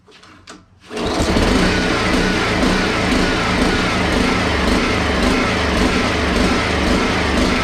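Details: Honda HRX217 mower, in for wheels locking when pushed; fuel smells fresh but may hold water. It fires after a quiet pull and runs with a coarse, uneven sputter. The carb looks dirty and a part fell off, so a possible vacuum leak is suspected.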